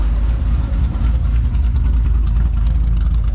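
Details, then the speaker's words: LS V8 after a top-end rebuild for a failing lifter, oil pressure now 40–50 psi. Deep, even idle with a steady low rumble; slight lifter noise and smoke at first start are normal and went away after the second run. "so it is normal perfectly normal right here a little bit of lifting noise and a little bit of smoke out the back whenever you first started up uh mine went away after like the second run sounds good"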